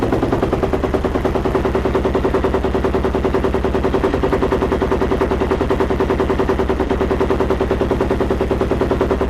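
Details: Yamaha YFZ 478 hybrid (WR450 engine) ATV, hard start with choke pulled: long run of even starter chugs about three a second, cranking far too long before it finally fires; carburetor to be removed next, cause not confirmed.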